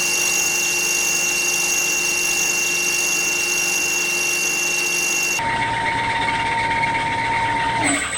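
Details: Drill spindle speeding up in a very cold shop while drilling 30x30 mm aluminum extrusion: a high, steady squeal that drops and shifts as the spindle warms up. Belt squeal.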